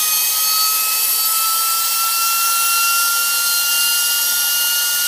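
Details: Tripet MUS-100 grinding machine main spindle with oil mist lubrication on, restarted; very high, steady whine with a thin second tone above, both level, no rumble; spindle running normally at speed.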